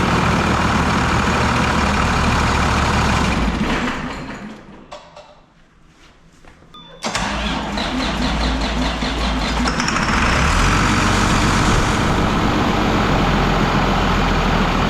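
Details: Project truck diesel not started in a year, fresh oil just added: cranks, goes quiet a moment, then catches and settles into a steady, even idle with a firm low rumble; normal start.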